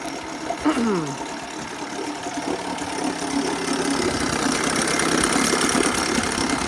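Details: 1980 Chrysler Sea King 15 hp two-stroke outboard, cold, after replacing ignition coil to cure quarter-to-three-quarter throttle misfire: spins up smoothly, holding a steady beat that climbs with throttle without missing; both cylinders firing cleanly.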